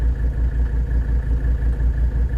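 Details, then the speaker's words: 1983 Mercedes-Benz W123 300TD, OM617 turbo diesel, warm after a test drive at about 60°F: a heavy, uneven shaky idle with wavering pulses, slightly better than before. The owner suspects the injectors need rebuilding. "it's still pretty shaky at idle so I don't know I think it's a little bit better at idle"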